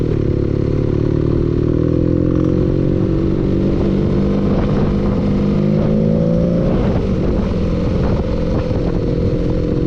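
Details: Loud, steady running engine with a sharp, irregular clatter of knocks over it; audible engine knocking, cause not clear.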